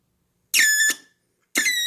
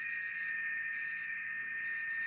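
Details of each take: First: BITX40 radio rebuild on first power-up: two loud, high, warbling squeals of about half a second each, then a bad smell; audio amplifier oscillation, suspected wrong speaker. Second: Rebuilt BITX40 transceiver tuned to 7074 kHz FT8: steady hiss with a clear high-pitched tone and faint warbling data tones, no hum or crackle; receiver working properly.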